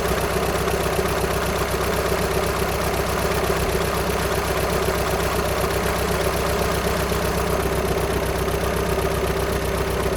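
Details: VW Sharan 7N 2.0 TDI common rail diesel (CFFB), cold start after new timing belt, injectors refitted and fuel lines drained without bleeding; light even rattle about four per second over idle clatter; owner suspects tensioner pulley, not engine.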